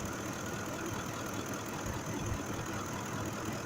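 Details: 2005 Ford F-150 5.4L V8 with a cylinder 2 misfire from a mechanical injector fault, after replacing the number 2 injector: steady even idle with soft uniform hum, no stumble or miss, now running smoothly.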